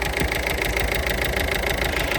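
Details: 2017 Peugeot Partner after knock sensor replacement that fixed stalling and no-start; steady, even idle with a smooth low thrum and no knocks or misses, the engine running normally.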